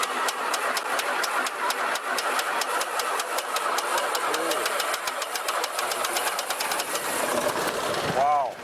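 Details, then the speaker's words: 1949 Beechcraft A35 V-tail Bonanza, unstarted about 7 years, started at full throttle then pulled to idle while pumping: rapid, even firing pulses catch and hold a steady run; normal start, oil pressure rising. "Oh, she sounds good. That's what I'm talking about."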